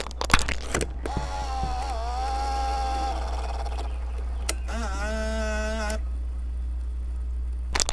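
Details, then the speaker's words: 1980s Sony CCD-V1 Video8 camcorder with the microphone placed near it, putting the tape back in; two spells of smooth motor whirring with soft clicks; the tape loads normally. "I'm gonna place my microphone near the camera so you can hear the lovely sounds that this thing makes as you put in and take out a tape"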